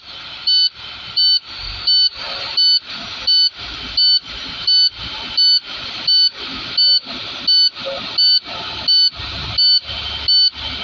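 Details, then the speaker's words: Class A tractor-trailer in cab at start-up after air drained (brakes set at 37 PSI), transmission in neutral: steady high buzzer about 86 pulses a minute over faint idle; low air pressure warning, cleared by raising to at most 1500 RPM. "To get rid of the alarm so that you can hear me better, I will accelerate no more than 1500"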